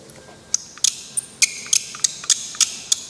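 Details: Dirty spray gun being stripped down (cap, tip, nozzle, baffle): short high chirps about once a second as parts unscrew, dry unlubricated threads squeaking, which is not good and will wear them.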